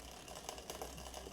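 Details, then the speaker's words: 1989 Cannondale Red Shred aluminium mountain bike, never serviced by the owner, shifting through gears after trimming with the barrel adjusters. Light rhythmic ticking and scraping as the cranks turn: chain rub because the rear derailleur high limit screw needs to come way in. "That's the high limit screw is not quite right still. Yeah, this needs to come way in. You can hear that just rubbing."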